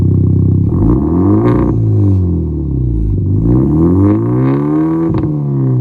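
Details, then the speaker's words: 2013 Hyundai Genesis Coupe just fitted with an ISR performance downpipe and test pipe: deep exhaust drone sweeping up and down over two blips, pitch rising cleanly with revs; healthy engine, freer-flowing aftermarket downpipe. "But yeah, now we're gonna hear it with the new ISR down pipe on."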